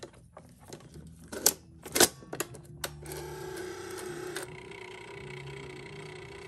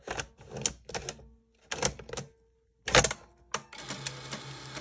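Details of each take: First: 1984 Sony BetaMovie BMC-220 video camera after the battery was reinserted; sharp mechanical clicks and clatter, then a motor hum that drops away as it turns off and won't respond. The fault is unknown and it needs opening up. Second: 1984 Sony BetaMovie BMC-220 video camera, powered from the plugged-in charger: crisp mechanical clicks then a soft motor whir as the cassette draws in and seats cleanly; tape shows some mold; loading works normally.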